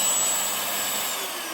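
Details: Rowenta Silence Force Compact vacuum fitted with a replacement RS-RT 35 30 motor (original had started backfiring): steady, even high-pitched rush with no sputter or cutting out on reassembly test; normal, healthy running.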